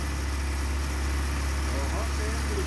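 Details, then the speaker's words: 1987 Toyota pickup with 22R engine, after distributor cap/rotor cleaning and vacuum leak checks. Steady low idle rumble with a slightly uneven, hunting note. Rough idle, worse in first gear and better warm; thought to need a tune-up. "still having issues with the idol but thinking it might just need a more of a tune-up"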